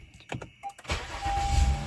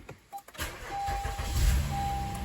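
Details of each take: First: 2016 Honda Accord V6 after replacing faulty battery: few clicks, quick crank, catches at once into steady even idle; healthy normal start, alternator not suspected. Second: 2016 Honda Accord V6 with faulty battery, after battery had been on charger: starter turns sluggishly with low laboured churn; weak battery causing slow cranking.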